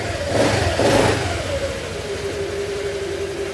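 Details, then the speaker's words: Honda Click 125 V3 scooter after the camshaft problem was fixed: a quick throttle blip settles back to a smooth, even idle with no knock or rattle. The engine is quiet and healthy. "Okay, babalik na natin dahil all goods na. Wala na problema. Tahimik na yung makina."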